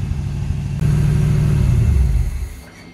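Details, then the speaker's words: 1981 Chevrolet Corvette Turbo (Corvette Clinic conversion) V8, first start after 30+ years stored, smoking from debris on the exhaust and spilled oil; picks up into a smooth even rumble and settles; oil pressure good, alternator drive belt missing so no charging; running nicely. "she's running very nicely oil pressure is good yeah of course no battery because the driving belt through the alternator is gone"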